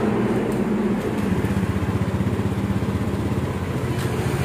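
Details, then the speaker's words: Honda Beat scooter idling steadily and evenly after starting, during repair of a faulty TPS sensor that caused stumbling on throttle; no misfire, injection light no longer blinking, and it runs normally. "seperti itu ini mesinnya hidup-hidup teman-teman bisa denger ya ini"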